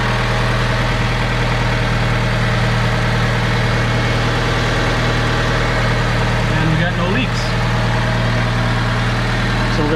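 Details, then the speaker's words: Older Honda car idling just after fuel filter replacement, watched for leaks and none found; smooth, steady, even low hum with no stumbles, ticks or knocks. Normal idle. "let this run for a little bit and just watch that filter make sure it's not leaking"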